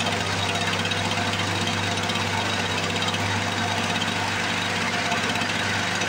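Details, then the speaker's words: 1978 Lawn Boy commercial two-stroke mower, stored for years with gelled fuel, first start after priming with the petcock open: steady, even crackling run at constant speed with no misses or surging. The engine runs healthy. "Let's uh let's see what she's gonna do ignition's on I can hear it priming here we go there's nothing boy if that don't sound beastly"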